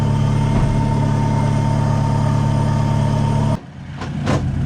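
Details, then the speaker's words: Honda Civic SiR, 1.6 DOHC VTEC B-series, after a Cometic head gasket, ARP head studs, new Gates timing belt and cams. A steady, smooth idle with no ticks or knocks. "Yeah, this thing's sounding good. So I did go back and loosen off the 14 mil. You can see the belt's running a lot. It's not as tight. Doesn't sound like a supercharger."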